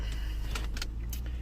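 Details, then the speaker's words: Ford Town Car, daily work car, after replacing the coil pack for a cylinder 8 misfire (third new coil pack): smooth, even low engine hum with no miss or stumble, keys jingling on top; all cylinders firing, normal running. "well we're good again so i'm up to what three three new coal packs so we'll see see how the other ones last"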